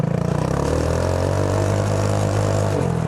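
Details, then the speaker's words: Go-kart driving after the restrictive intake snorkel was removed: low, even engine drone holding steady as it accelerates and pulls hard, no sputter at low revs. Smooth running under acceleration. "That's much better. Oh, that's so fun. I love this thing."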